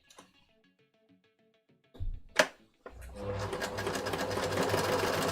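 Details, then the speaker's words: Sewing machine stitching a buttonhole on a kid's jacket at a brisk, slightly uneven rate with an odd rattly clatter mixed in; the noise is abnormal and its cause is unclear. "Why is it making this weird noise? I don't like this noise."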